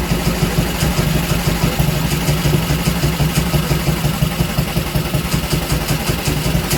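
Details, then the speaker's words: Small Villiers single-cylinder engine running loose on the workshop floor, not bolted down: steady, even low thump with a little rattle from the engine bouncing; runs smoothly and sounds healthy. "all right wow there we go she runs and she seems to run very well if I sounded a bit naughty it's because it was chattering and bouncing around on the on the workshop floor"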